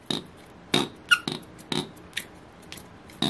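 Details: Saito FA-82a four-stroke model engine, stored improperly for years, glow plug out, flipped by hand with prop: irregular squeaky burps after each compression; exhaust valve spring took a permanent set from storage, causing burping and poor peak RPM.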